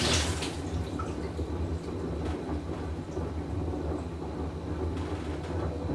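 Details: Whirlpool Cabrio washer with bad bearing, full wash cycle; deep steady rumble like a distant train, no sharp clicks; tub bearing rumble.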